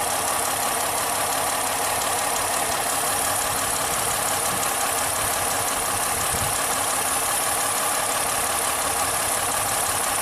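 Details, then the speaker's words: 2010 Ford Fusion with replaced PCM and ignition parts: irregular idle stumble, one beat dropping out; power balance test still points to cylinder 1, coil controlled but spark missing; stuck injector suspected. "Okay. It's still going to be cylinder number 1. Yep, still cylinder number 1. Still the same garbage."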